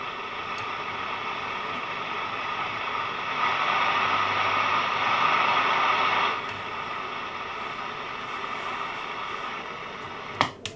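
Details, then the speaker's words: National Panasonic RQ-434DS 1970s boombox radio: steady hiss with no station, swelling briefly then easing, a couple of clicks; tuning the dial changes nothing, unclean oscillator signal, faulty transistor suspected, unconfirmed. "and tuning it through the dial makes no difference whatsoever so we have to find [Applause] one of these transistors which is faulty"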